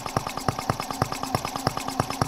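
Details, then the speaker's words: Microcosm R18 model of the 1886 Benz Motorwagen engine, first run after unboxing: crisp, evenly spaced firing pops at a steady quick beat, no misses or knocks, remarkably smooth. Normal running. "Remarkably smooth. This is it, guys. I mean, it's sitting here running."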